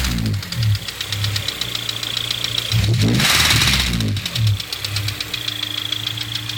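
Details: Honda S2000 engine running with light, fairly quick ticking, about three or four a second, over the petrol engine's low hum. The noise seems to come from near the intake manifold area; cause unknown.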